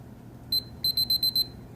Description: Alarm panel beeping for hours for no reason.